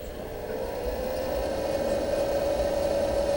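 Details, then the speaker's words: Fog machine pump after the clog was cleared, pushing water that drips from the outlet tube. A steady low hum with an even tone near 550 Hz and no straining; the pump is running freely. "And I see it dripping out. But you hear that? There's no motor going crazy. There's absolutely no motor going crazy."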